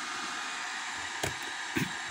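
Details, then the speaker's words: Acer Aspire 4738 laptop after repairing a power-on shutdown (protect switch) fault caused by a drifted resistor R110, now drawing 2.2 A: steady loud airy fan hiss at constant speed with a couple of handling bumps; fan running normally, just loud. "Oke, suaranya kencang ya. Untuk di bagian kipasnya."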